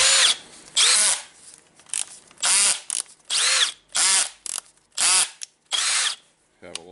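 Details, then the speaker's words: Milwaukee M18 CBLDD brushless drill after replacing the broken motor ball bearing and cleaning: short trigger pulls give a clean whine rising and falling smoothly, no grinding or rattle; works well. "little and it's a good working drill except the rubber going out so yep it's the new ball bearing and the cleaning for now"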